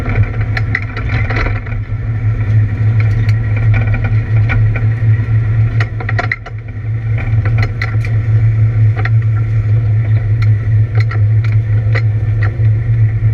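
Loud race engine pulling hard on track, with irregular stumbles and crackles breaking up its drone; the engine is misfiring under load.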